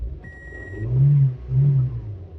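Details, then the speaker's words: 2002 Toyota Echo with no-start complaint and no security light flashing: chime, then the engine catches in two weak lumpy surges and dies; starts then stalls, fuel issue suspected, not confirmed. "but then it stalls out all right so since it does start but then stalls could we be dealing with a fuel issue at this point"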